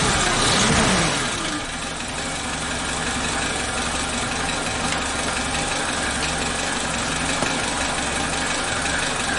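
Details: Suzuki Katana (Jimny) after a timing belt and tensioner bearing replacement and valve clearance adjustment (cold: intake 0.15 mm, exhaust 0.20 mm). After a brief blip the engine settles to a smooth, even, healthy idle with no ticking or knocking.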